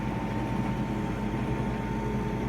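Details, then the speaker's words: New Whirlpool WED9290FW heat-pump ventless condenser dryer, 7 cubic feet, with clothes on a normal cycle: even low hum of the heat pump compressor still spinning while paused, a little louder than typical but no knocks or rubbing; running normally. "So you can hear the heat pump. We just paused the cycle, and you can hear the heat pump still spinning, so I'm going to restart it. It's a little bit louder than typical."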